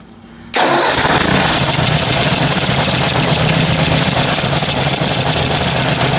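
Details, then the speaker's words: Ford 800 tractor engine starting and running: a light tick about four times a second under the valve cover, heard clearly at shutdown. "definitely something ticking oh that's weird you really hear it when it shuts off there"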